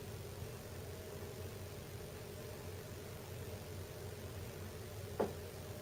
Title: mom's house makes creaking noise when ducts heat up or cool down, upstairs bedroom capture